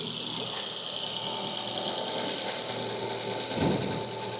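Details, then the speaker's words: Small four-cylinder at steady idle just after a new alternator and belt were fitted and coolant refilled, air purging from the cooling system; even belt whir with no squeal or chirp, runs healthy. "Belts going around absolutely beautifully. All the air is going to be purged out the system. I'm pretty happy."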